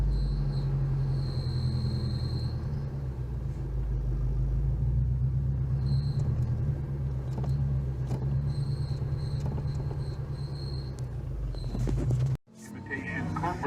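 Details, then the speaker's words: Subaru BRZ with a newly installed hydraulic clutch release bearing: thin high whine comes and goes over a steady idle rumble, then the engine cuts off; suspected clutch bearing or its installation, not confirmed. "this happening now speaking that high-pitched whine now"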